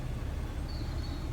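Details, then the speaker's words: Vauxhall Corsa D after blower motor resistor replacement: steady low rushing airflow with an even motor tone at fan speed two, with no ticks or rattles. The blower now runs normally. "number three here even louder number four nice and strong so that's us uh we have fixed it"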